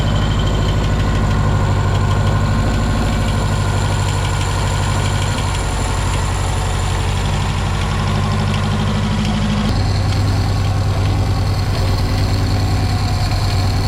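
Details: Mark II Ford Fiesta XR2 idling after refitting the rebuilt Weber 28/32 TLDM carb and fixing anti-run-on solenoid wiring: steady idle holding its rhythm without dipping or stalling, small tone shift partway; runs better but carb still needs tuning.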